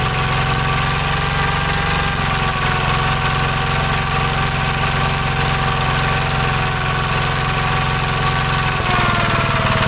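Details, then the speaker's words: 1956 Gravely L single-cylinder after valve adjustment, timing check, governor removal and carburetor readjustment, air cleaner hose refitted: fast thumping with a hard, uneven beat and a brief stumble; rough running, somewhat better, valve trouble suspected. "well it's a little bit better I have a feeling something going on with the valves so I'm pretty sure we have to rip the whole top end off"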